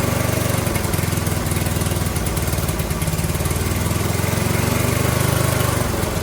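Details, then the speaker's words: Briggs & Stratton 18 HP Vanguard, first run after hanging the muffler: uneven, lumpy, low-pitched running that hunts and stumbles. Owner suspected it was sucking air and starving for fuel, but the choke had been held in the wrong position too long. "Okay, so this was user error, as some of you have already guessed. I got kind of confused, dyslexia, holding the choke in the wrong position for too long."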